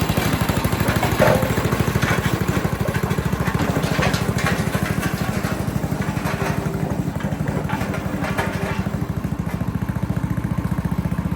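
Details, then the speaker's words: Western pavement roller, 8 hp Tecumseh single-cylinder engine, after the varnished original carburetor was replaced with a new aftermarket one: steady, even chug at a constant beat with no stumbling or misses; running healthy. "I personally am very pleased with how well that runs."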